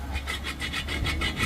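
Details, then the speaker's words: Mazda BT50 Pro manual gearbox removed from the truck and turned by hand: a gritty, rasping scrape pulsing about four times a second. Broken small lower countershaft support bearing from wrong gear oil; fix is replacing both bearings and refilling with 75W-85W. "ชัดเจนเลยอ่าก็คือลูกปืนเพลาประคองเพาราวเกียร์มันแตกนะ"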